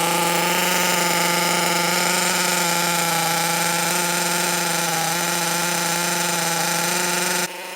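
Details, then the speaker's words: 16-year-old HPI RS4 3 Evo nitro RC car, first run after purchase, carb reset to factory settings: fast, buzzy idle that wavers slightly and sounds uneven, smoky and oily; rough idle from a rich mixture. "i did reset the carb settings back to factory beforehand so it was quite smoky quite oily a little bit of rough i"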